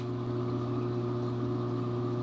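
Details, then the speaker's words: Old aquarium return pump running in the sump next to a bedroom wall, before replacement with a cheaper DC pump; steady low buzzy hum with vibration carrying through sump and wall; pump vibration hum. "Here's the old pump. This is the old pump, Matthew. Listen for the vibration."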